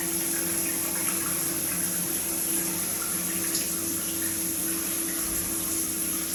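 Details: Multifunction shower system with poor overall flow: a steady mid-pitched hum over running water, with slight vibration felt at the shower valve when the body jet function is used.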